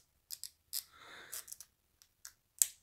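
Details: Corsair K95 RGB Platinum keyboard volume wheel, only when scrolling upward: sharp, uneven clicks and scratchy ticks; a loose, unglued white plastic film behind the wheel is catching on it.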